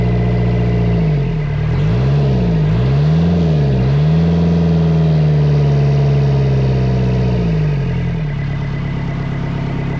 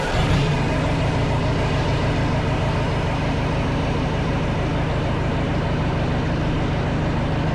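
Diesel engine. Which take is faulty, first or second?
second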